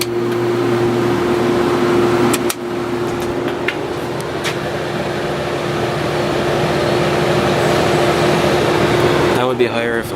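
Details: A 1970s Whirlpool 6000 BTU air conditioner with a Seeger compressor and GE fan motor, switched to high fan with a heater in front. Steady even hum with a constant mid-pitch fan tone, no rattles or surging; healthy.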